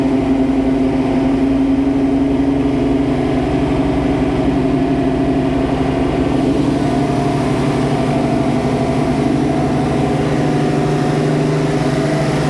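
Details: First start of a new 347 stroker V8 in a 1966 Mustang Fastback with T5: a steady, lumpy idle held at a high, even speed with no dips. The untuned carburettor's idle screws are set too fast.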